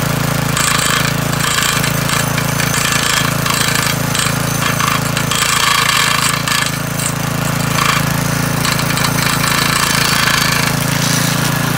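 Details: McClane 3.5hp edger with Briggs & Stratton engine, revived after years sitting with a carburetor tune-up, oil change and fresh fuel, started cold. A steady buzz at speed while the blade chatters through turf, with no bogging or misfire. Runs well and cuts a nice line.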